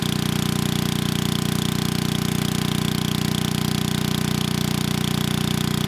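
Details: 1987 VoltMaster 4,000 W generator, 8 hp Briggs & Stratton flathead, after compression repair, under 3,000 W load: 120 V near 60 Hz (107 V unloaded). Steady even thumping at constant speed, no misses, knocks or hunting.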